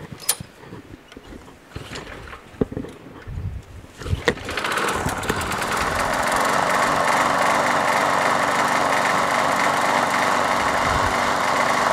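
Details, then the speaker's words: Craftsman push mower, swapped engine, now properly bolted down, oily spark plug replaced with a better used one. A few uneven pops and sputters at start, then settles into a steady fast putter after about 30 seconds. "sputters a little bit in the beginning but once you run it for about 30 seconds such running better"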